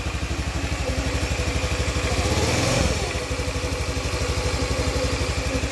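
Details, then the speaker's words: Honda Vario 110 FI after new crankshaft bearings (6007, 6205), crank seals, oversize-25 piston kit and full CVT set, exhaust and air filter not yet fitted: even single-cylinder putter, much smoother than the rough noise before; slight crackle remains in the CVT area, possibly the pulley. "Oke Bro ini seperti itu untuk hasil dari Vario ini kan Bro setelah dilakukan pergantian laher bearing kruk as kanan kiri tadinya sebelum kita ganti Suaranya sangat kacau kan Bro ya guru-guru guru guru kita ganti sudah lumayan Mending lah ya"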